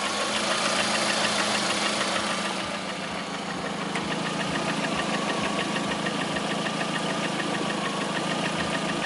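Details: 2009 Lada Priora, 37,000 km, engine began knocking 500 km after adding Suprotec additive: steady idle with light, regular tapping about three knocks a second over the engine; knock of unconfirmed origin.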